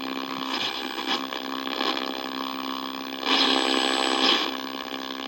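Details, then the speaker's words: 1964 Sony 9-304U vintage TV: buzzy, warbling whine with rough surges from the speaker; sound stage appears to be oscillating, cause still unknown. "this thing does seem to be picking something up but and this sound thing right here is the sound that's the"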